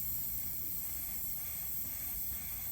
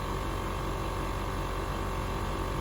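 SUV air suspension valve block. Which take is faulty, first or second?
first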